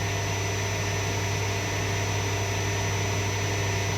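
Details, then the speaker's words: Suzuki XL6 petrol hybrid alternator test, engine running: charging comes immediately at start, unlike the diesel's 4–5 second delay; steady even hum, faint high tone, no grinding or bearing rumble; alternator in proper OK condition. "इसमें petrol hybrid में ऐसा नहीं होता, तुरंत charging आएगा। Diesel version में 4 से 5 second का समय लगता है चार्जिंग आने में।"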